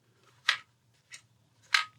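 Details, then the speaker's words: AGT Uragan 2 air rifle dry-fired after the plenum de-pinger fix: sharp action clicks, each with a brief buzzy rattle from the uncaptured hammer spring moving at the back. "don't know if you can hear that if the camera will pick that up you can hear the spring rattling around as you take a shot"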